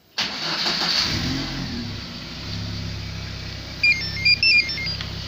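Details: VAZ 2112 with StarLine A9 alarm, after fixing no-start traced to the starter relay: engine catches almost immediately on remote start and settles into steady idle, then short alarm chirps; remote start works normally.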